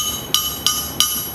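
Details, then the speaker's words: Crankshaft ring test, struck with a half-inch wrench: three sharp strikes each leave a clear, sustained high ring rather than a dull thud, indicating a good crank; a cracked crank would thud. "hear that that that ringing noise on that thing that's that's a good crank"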